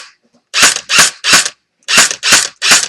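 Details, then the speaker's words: Echo1 airsoft electric gun gearbox with barrel/hop-up unit removed: six crisp, even clacks about two a second as the air nozzle moves back and forth loading BBs from the magazine into the hop-up; no grinding, normal cycling. "see how it's going back and forth all the time that basically loads a BB from the mag here into the hppa UN"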